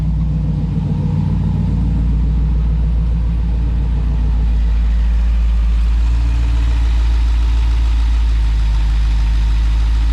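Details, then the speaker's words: V8 idling just after a spark plug change, heard under the hood: steady, even deep rumble with injectors ticking, no stumbles or misfires; normal idle. "This sounds good. Engine's not rocking back and forth. I can hear all of my injectors ticking. I don't hear any kind of abnormal misfiring or any issue like that."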